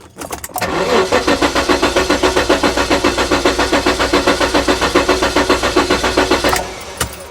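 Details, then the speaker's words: 1994 Jaguar XJ6 after months in storage: slow, laboring crank at about four compression pulses a second for six seconds without starting; the battery was thought too low, shutting the ECU down, so a booster battery was added. "I think the battery's too low so the ECU was shutting down cuz the battery was too low"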